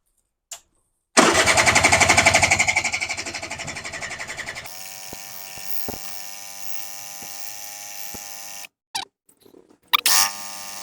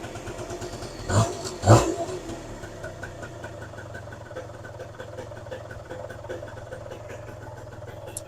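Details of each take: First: Suzuki LT80 80cc two-stroke petrol quad with vacuum fuel tap set to on: starter churns a few seconds with no firing, fuel pipe off at carburettor shows fuel only drawn while cranking; cranks but no start, fuel not reaching carburettor. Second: Suzuki LT80 80cc two-stroke quad, first running after fuel filter work, engine cold: steady, even low buzz after a couple of blips, idle holds without stumbling, running fine.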